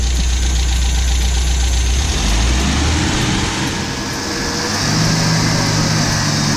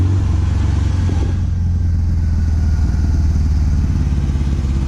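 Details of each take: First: 1974 MG MGB with SU HIF4 carburettor after replacing wrong needle float and setting float height (previously fuel-starved): engine rises from idle to a firm steady rev without stumbling; normal revving. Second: 1974 MGB with SU HIF4 carburettors, fitted with the wrong needle float: deep, lumpy, uneven idle that stumbles and never settles; fuel starvation from a float level set far too low, float height then raised.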